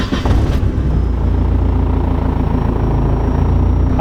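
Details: E85-fuelled engine after a VVT table change, cold start at the start of the day: catches quickly and settles into a steady, even idle with no hunting or surging, VVT locked at zero. Smooth startup.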